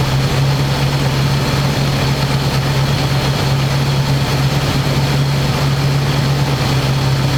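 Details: 1985 square body truck, 454 big block V8, 4-speed, sitting 20 years, after refitting air cleaner and vacuum lines and adjusting idle screw: deep, steady drone at one even pitch, no surging or misses. Normal smooth idle.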